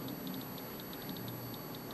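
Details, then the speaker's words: Predicta Tandem tube TV chassis: faint sharp ticks, about six or seven a second, over a steady high-pitched whine; ticking speeds up with more width, no effect on the picture, and something seems to charge up and break down; cause unknown. "Max width Max clicking so s seems like something is charging up and then breaking down"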